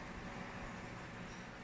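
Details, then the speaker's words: Vornado tower fan with weak motor after rewiring, capacitor refit, motor realignment and full cleaning, tested before closing up through speeds 1–3: steady even whoosh with no rattle, scrape or surging hum; no more noise, smooth. "Oh, yan ang sinasabi ko. Oh, 1, 2. Wala nang ingay. Swabe."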